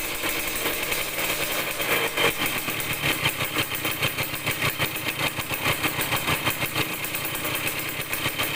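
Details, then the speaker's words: Yamaha DT100 two-stroke after tightening a loose intake-neck nut that was leaking: revs rise in uneven, choppy blips and won't rev out; carburetor air screw needs retuning, later adjusted for better throttle response. "แต่เดี๋ยวต้องจูนอากาศใหม่นะครับรู้สึกว่าเร่งมันไม่ออกเร่งแล้วไม่ออกนะครับเดี๋ยวผมต้องลองจูนอากาศใหม่ก่อนนะครับ"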